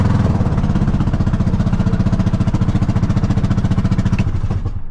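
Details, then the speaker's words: Kawasaki Mule at idle with the exhaust suspected loose: loud, blatting, deep and raspy exhaust pulses at about four a second; loose exhaust or leak suspected; loud exhaust noise at idle. "Yeah, listen to that exhaust. It sounds terrible."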